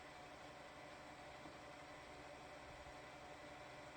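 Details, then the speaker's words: 22-year-old PC (ASUS A7N8X-E Deluxe, Athlon XP 3000+) with Inno3D GeForce2 MX400 graphics card: quiet, steady whirring hiss with a faint thin whine; noisy graphics card fan, to be replaced with a different card. "it's the the fan on the graphics card is making the noise yeah so that's unfortunate"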